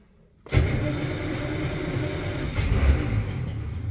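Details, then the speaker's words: 1949 Armstrong Siddeley Lancaster, first start in about a year on a hot day: after a quiet spell the engine catches and runs lumpy, coughing and surging; hard start, runs with choke about three-quarters out and dies with it fully out. "okay so as I expected she's not starting straight away struggling I obviously don't want to flood it"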